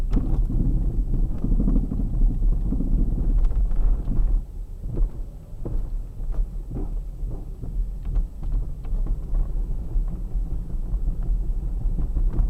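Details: Kia Sportage 3 before repair, while driving: dull, irregular knocks and clunks over a low road rumble, coming through on bumps; worn, loose steering rack knock.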